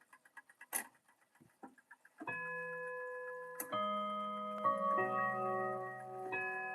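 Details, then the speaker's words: Clock movements just reinstalled after service (broken chime rods, replaced pendulum), basic British chime: steady ticking, then irregularly spaced bell strikes with gaps where blows are missed; the strike train skips a lot. "Yeah, it skips a lot. Alright, that's 5. Pretty basic British tuning."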